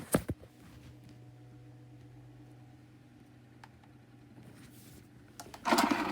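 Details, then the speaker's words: 2019 Schallen 12-inch desk fan on low speed with oscillation engaged: steady low motor hum with a rough rattling grind that gets louder as the head swings. The bearings are worn. "now he is off spinning time is bad just bad bearings anyway now we're going to engage oscillation and we'll start as low the bearings are even worse with oscillation on"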